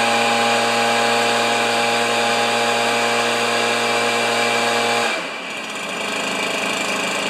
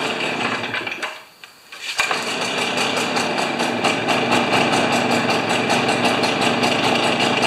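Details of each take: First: Stihl BR430 backpack leaf blower, neglected three years, running after the carburetor butterfly was flipped: high steady two-stroke scream held five seconds, then dropping off sharply as the throttle closes; normal running. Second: Stihl BR430 backpack leaf blower, neglected three years, plug cleaned: sags almost to a stall, then runs rough and uneven without clearing; acting like a plugged muffler, later found plugged.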